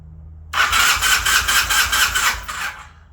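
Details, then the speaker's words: 1981 Honda CM400, sitting since 2000, after swapping the failed ignition coil for a known good one: starter spins engine with even compression beats, about four a second, but never fires; spark still weak and intermittent, rusty flywheel suspected. "We're expecting to see a rusty flywheel since we're still getting weak spark."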